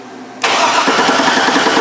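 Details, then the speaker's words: GMC Yukon Denali after its engine computer was replaced with a salvage-yard unit: the starter spins the engine with steady churning but it never fires, and the injectors have power but no pulse. Crank, no start. "we got nothing folks we got nothing we got no injector pulse oh boy what's that mean that means it's not gonna start"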